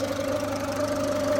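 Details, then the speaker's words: Ford Fiesta, warmed up to temperature: steady mid-pitched whine at idle from the front of the engine that stops when revved; tensioner or idler on the timing suspected, not confirmed. "we've got that noise it's only on idle so if you rev it move the car completely stops so my suspicion is it's going to be a tensioner idler or something on the timing"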